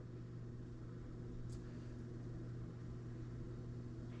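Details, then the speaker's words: GE stove after fixing F96 error, bake 375: steady low hum as convection fan and blower motor start, no scraping or wavering; previously failed by this point, oven reached 375 so fixed. "I hear the fan kick on. I hear the blower motor kick on. And normally it would have failed by now."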